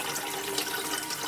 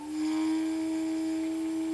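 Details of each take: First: Electric BMW 320i conversion on jack stands: two Lang electric coolant pumps running after being remounted in the correct orientation. Steady water rushing with no whine or air gurgle shows good coolant flow, verified before the motor goes back in. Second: Electric BMW 320i conversion: first leak-check run of small electric coolant pumps, which may take a few minutes to spin up. Steady hum near 300 Hz with water flowing, but the pumps were found mounted upside down.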